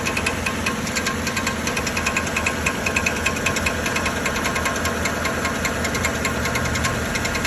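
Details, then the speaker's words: 2013 Chevrolet Silverado 1500 5.3L with check-engine light on: sharp, fairly regular light knocking at about 150 a minute over a steady idle, like a flywheel fault; the starter drive gear isn't retracting, and fixing the starter removed the noise. "el problema edad más sencillo de lo que se pensaba no es del volante no es problema de motor interno"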